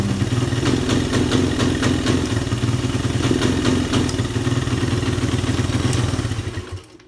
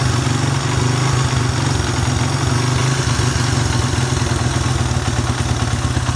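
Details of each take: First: Suzuki Satria FU 150, sometimes hard to start: idles normally but each throttle blip falls flat and revs won't climb; carburetor ruled out, ignition suspected, finding a bad engine ground wire. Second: Suzuki Satria FU 150 single-cylinder, hard starting and would not rev, after running added ground wire straight to engine: runs smooth and even with steady low beat, no misses; carburettor not the cause.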